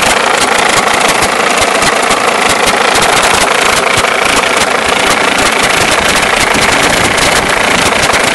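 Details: Mercedes S210 E290TD diesel at idle: irregular knock about three per second over the clatter, caused by a broken alternator one-way (overrunning) clutch pulley; problem solved by finding it.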